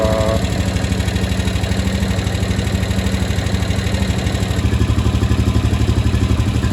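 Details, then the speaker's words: 2015 Honda Rubicon 500 IRS ATV at idle after top-end rebuild: quick regular tick on every engine beat, noisier than before; valves suspected a little tight, valve train ticking not confirmed. "Sounds like the valve might be a little tighter. I don't know."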